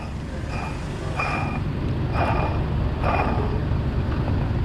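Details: The removed water pump from a 2005 Chevrolet Colorado 3.5L with a growling-noise complaint: hand-turning it gives a dry, gritty rasp about once a second over the idling engine. The pump bearing is worn.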